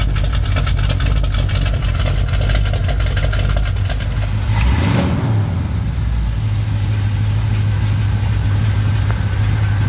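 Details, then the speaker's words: 1987 Chevrolet K10 V8 on first start after head gasket replacement: after a brief throttle blip it settles into a steady, even low idle rumble with no knocks or misses, warming up before a test drive. "Here he's got it running, so it started up without too much trouble. We're gonna let it warm up, make sure everything's good for a few minutes, and then we will take it out for a little test thing."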